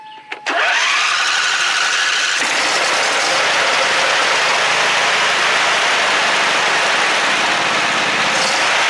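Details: John Deere V-twin lawn mower after a repair for one dead cylinder: quick start, then a steady, even buzz with no stumbling or missed beats; both cylinders now fire and it runs normally.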